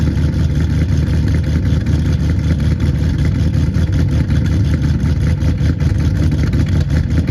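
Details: 2009 Pontiac G8 GT 6.0 LS V8 cold start at about 40°F, rebuilt after DOD lifter failure with LS7 lifters, BTR Red Hot cam, Kooks long tubes, near-straight pipes, tuned: loud deep lumpy lope about once a second; healthy cammed cold idle.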